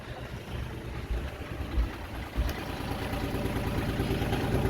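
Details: Yanmar 3GM30F inboard diesel on a sailing yacht, started by bypassing the faulty starter/master switch: a low, steady diesel chug at idle with a slightly uneven beat and no knocks or misses. Normal idle; the switch is to be replaced.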